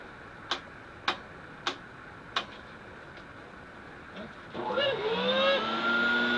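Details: Electrolux 280 vacuum cleaner, after disassembly and motor lubrication to cure a whining noise: a few handling clicks, then the motor spins up to a smooth steady whine with no grinding or squeal; repair successful, runs normally.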